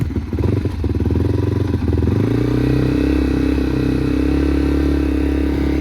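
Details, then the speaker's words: Yamaha TTR230 single-cylinder, uncorked and rejetted with a rebuilt carburetor and bigger main and pilot jets, on first start with the choke on catches unevenly, then settles into a fast, steady idle that is set too high. "Get all the air out of the carburetor. Idle's way too high, but sounds really good, actually."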